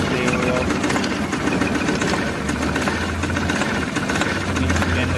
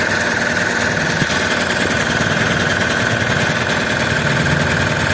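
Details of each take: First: Mahindra Supro van, over 100,000 km, idling: uneven, stumbling misfire beat. Scan shows trouble code P0341-00 camshaft sensor signal error; wiring checked, and a replacement sensor is being tried. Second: Mahindra Supro van after replacing the camshaft position sensor and checking wiring for code P0341 and misfire: the engine idles steadily with a light, even clatter, no stumble or miss.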